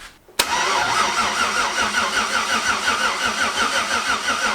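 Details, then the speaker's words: Twin-turbo LS V8 Malibu first start: starter turns engine over sluggishly with lazy, uneven chug about three a second; poor engine ground, seen smoking, starving the starter. "crank's over not fast but it cranks over uh that ground wasn't good because i've seen it smoking a little bit"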